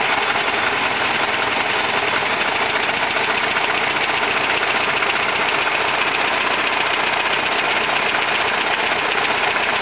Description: Something is up with my engine, I just static timed it and fixed the vac advance. The problem is that it seems to be running on two cyninders.